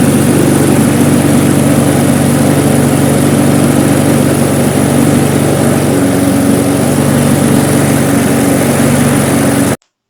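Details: Briggs & Stratton Classic carburettor lawnmower engine after shortening and re-looping the slack governor spring: smooth, even single-cylinder run at steady speed with no hunting or surging until it cuts off; normal running.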